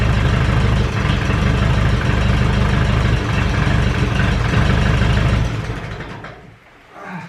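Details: Ferguson 20 petrol/TVO tractor, sat 10–15 years, after carburetor cleaned (float free): low steady thumping idle about three beats per second, even until shut off; running properly.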